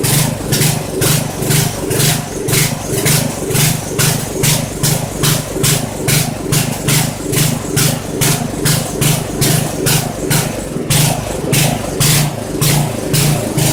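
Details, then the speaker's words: Poulan 900 rototiller single-cylinder engine, restarted after checking oil, suspected governor issue: chugs in uneven pulses about twice a second, surging and stumbling at idle; carburetor judged to need rebuild or cleaning. "yeah we definitely got to rebuild the carburetor on this little fella at least take it apart clean it and reassemble it"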